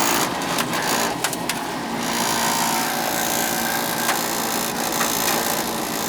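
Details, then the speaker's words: Noisy power venter on an older Beckett oil-burner furnace, venter motor replaced about 7 years ago and last serviced about 3 years ago, no oiler: steady rough motor drone, low hum and scattered rattles, vibration probably from a bad motor fan. "Vibration happening. Probably got a bad motor fan."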